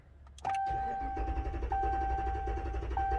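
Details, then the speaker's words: 2021 Ram 1500 5.7L Hemi cranking in clear-flood mode: lopsided galloping rhythm as the starter speeds up over cylinder 1, which has a dead miss and low or no compression, suggesting an internal mechanical issue. "that one kind of gallop you're hearing is uh when the starter hits the uh cylinder with no or low compression the starter speeds up"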